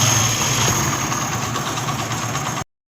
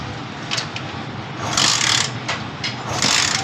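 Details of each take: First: Honda CD 70 after timing chain set replacement: small single putters evenly at idle with no chain rattle or clatter before it cuts off; sounds healthy, normal idle. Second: Honda CD 70 motorcycle engine: uneven metallic clatter swelling in bursts over the running engine, timing chain rattle; fixed by a replacement timing chain set.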